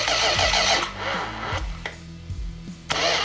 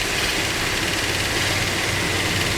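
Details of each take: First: 440 Magnum V8, first start attempts: uneven cranking stumbles, then sharp pops and a loud bang with flames as it tries to catch; backfire caused by ignition timing badly off at the distributor. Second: Freshly built 440 Magnum V8 with roller rockers on the stand, timing corrected: loud, open-sounding steady idle with no knock or stumble, good oil pressure.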